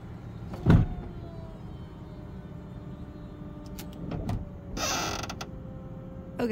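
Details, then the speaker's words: Convertible top lowering: steady electric motor hum broken by sharp creaks and loud squeaks from the linkage, seemingly from the trunk area; the source is not yet found. "something back here is making a noise not 100% sure definitely sounds like it's something from the trunky area"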